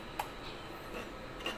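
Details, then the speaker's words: 16-inch Hatari fan fitted with a Sharp replacement blade of a different model: sharp clacks about a second apart over faint hum as the blade hub sits too deep and catches the housing edge. "ครับก็กดได้ยินเสียงแก๊กๆๆนะครับนะครับเหมือนจะรอดและไม่รอดแหละนะครับก็คือใบมันติดนั่นเองนะครับมันติดขอบนะครับ"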